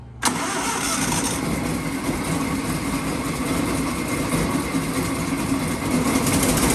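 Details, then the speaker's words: 1926 Ford Model T Roadster with a generator motor, battery recharged after the key was left on overnight: cranks, fires straight away and settles into a steady, slightly loose idle; throttle lag and finicky throttle being adjusted. "oh this thing's running boy it's lighting up i might drive it right quick come on i got it's running the throttles are a little finicky but let's see what it'll do"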